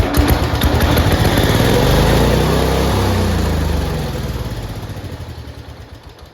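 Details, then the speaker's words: Late-1960s to early-1970s IH Cub Cadet 126 that sat for a very long time, first start on starting fluid. The single cylinder catches and screams at full throttle, then revs drop steadily as the throttle is pulled back. "Holy crap. Turn that down from full throttle. What just happened?"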